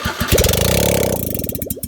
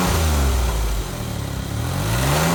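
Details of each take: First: Smart car with exhaust system removed before custom build: harsh raw popping crank and catch, loud open uneven bark at each firing; sounds poor running without exhaust. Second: Smart car at idle on the stock exhaust, with an enormous muffler and built-in catalytic converter, before a custom exhaust is built: a deep, muffled, steady drone; the engine runs evenly, just sounding dull.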